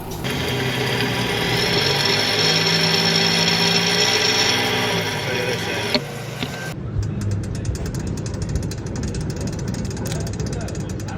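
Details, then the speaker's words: Moving car: low droning growl heard when lifting off the throttle, from a worn front wheel bearing in the hub, eroded by water and dust; a damaged one shows play when the wheel is rocked by hand. "Este valero se encuentra insertado en la masa del carro y es común que le entre el agua y el polvo. Por consecuente se erosiona y comienza a sonar escuchándose algo así."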